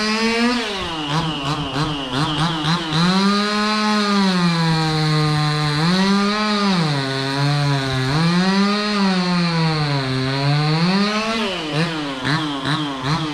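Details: Stihl 026 two-stroke chainsaw cutting pecan in snow, rising and falling through repeated revs under load; pickup a touch lazy off the trigger, idles down slowly; owner questions the tune, cause unknown.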